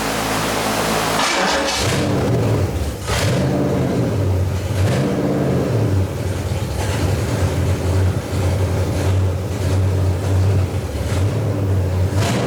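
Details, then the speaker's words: Freshly built Ford 429 Thunderjet V8 for a '66 Fairlane, first run on the floor for cam break-in, good oil pressure: big V8 rhythm surges and dips now and then; engine seems fine but carburetor not metering evenly. "i mean i think the motor is fine got good off pressure sounds good except for the carburetor"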